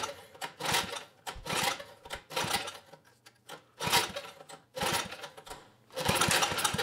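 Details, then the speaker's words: 1980s Troy-Bilt Junior tiller, 3 hp Tecumseh HS35 engine, main jet opened one turn: sputters in uneven surging bursts and dies away, carb barely working from water in it; governor did close the throttle plate. "okay well the carbs not working too well anymore but the governor did close that throttle plate"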